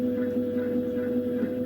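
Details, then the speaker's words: Mastertronic analyzer reference test: the stepper starts for the third time with the reaction chamber empty, giving a steady, even mid-pitched hum with a lower undertone; some rattling is expected and normal here, and there are no knocks or stalls. "You will hear some rattling because the reaction chamber is empty. That's normal now."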